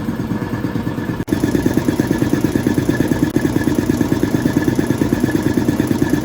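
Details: Restored air compressor pump on an 80 gallon tank building to 20 psi for a leak test: after a brief dropout, even, rapid thumping rhythm with no clatter, relatively quiet; normal running.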